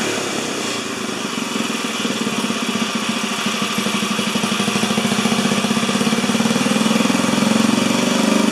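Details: 4HP horizontal Briggs & Stratton single-cylinder, no throttle cable: a rapid putter creeping slightly faster and louder but never picking up properly. Throttle responds only partly.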